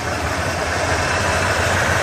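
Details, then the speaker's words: 1988 Ford F250 5.8L (351) V8, sat two years, idling on injector cleaner: uneven, lumpy idle with an unsteady low pulse, misfiring; clogged fuel injectors suspected, possible rodent-chewed wiring. "25 boy she's a rough Runner I hope this stuff clears it up"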